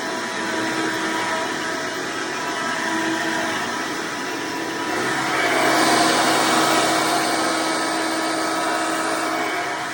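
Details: Hoover Decade Soft & Light Elite vacuum (owned since May 2024), first run after replacing 7-bladed fan impeller with 20-bladed upgrade, bearings greased: steady high airy whine swelling louder midway then even, no rattles; noise mostly reduced, still somewhat loud.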